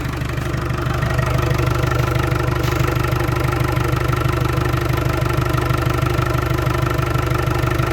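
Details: Land Rover Discovery 300Tdi diesel, first run after a donor engine swap with a mechanical injection pump, new timing belt, alternator, turbo and valve clearances set. Even idle at about three pulses a second, no knocks or misses. Healthy idle.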